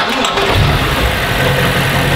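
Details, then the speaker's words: Cheaply bought BMW M5 F10 from Qatar, V8 biturbo, checked in a workshop: engine catches and settles into an even, calm, steady idle with no misses or stumbles; runs clean on all eight cylinders, no sign of compression loss. "mein Ohr hat mir gesagt es ist soweit alles in Ordnung also der der Leerlauf etc hat sich erstmal ruhig angehört"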